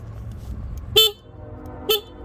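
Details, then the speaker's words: Used motorcycle, idling: two short clear horn toots of about a tenth of a second each; working horn. "Make sure your lights work, high and low beam. Check your horn."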